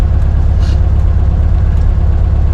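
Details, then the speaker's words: 1972 Karmann Ghia air-cooled flat-four after warm-up and test drive: steady, even low burble at idle with no knocks or misses, healthy smooth idle; a separate clunk while driving is attributed to body flex. "It's idling nice. We're good. We're good with all this."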